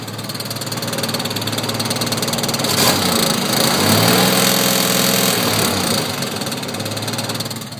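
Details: 1986 Chevrolet S10 2.8 V6, revved from underneath: a light, fairly even knock of about three or four a second, too light for rod knock. It has a header leak and broken manifold bolts; owner suspects the clutch, which is due for replacement.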